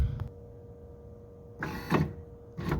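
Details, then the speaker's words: 1979 Lincoln Continental right front power window motor bumped down to relieve pressure during removal: short strained bursts with a dull thunk; worn drive pins and gear play suspected. "this one actually is going to have the same freaking thing I know the pork chins are all going to be gone and it's gonna have some play in the gear"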